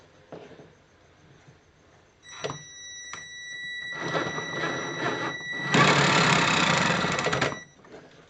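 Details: Tamiya King Tiger 1/16 RC tank, left gearbox: short bursts of harsh grinding with a thin whine over the motor as two gears jump over each other, slipping under load. Owner thinks the left transmission is ruined.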